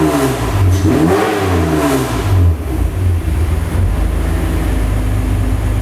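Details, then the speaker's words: Extensively modified BMW E36 race car being readied for a race. Engine catches and revs cleanly, then settles to a steady crisp idle with no knocks or misses; a normal start. "let's start this puppy up and let you hear what she sounds like she sounds pretty sweet"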